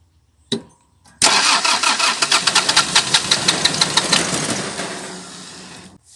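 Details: Toyota 1C diesel with hard starting, shaking and loud running cranks and catches, then clatters loudly with uneven pulses near three a second before dying; rough, noisy running, cause unclear.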